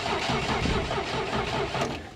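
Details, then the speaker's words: 1967 International Scout, abandoned project, fresh fuel added, spark plugs out: engine turns over in slow laboring rhythm and never catches; slow crank, no start, fuel pump may need waking. "She cranks a little slower with spark plugs. Ain't got none yet. She may not have it in her."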